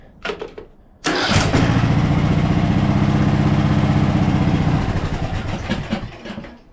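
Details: 2014 Ariens (Husqvarna) 42-inch riding mower, just after a used starter from a donor engine was installed. Brief clean cranking, then the single cylinder catches quickly and settles into a steady, even thump at about four per second; starter works normally.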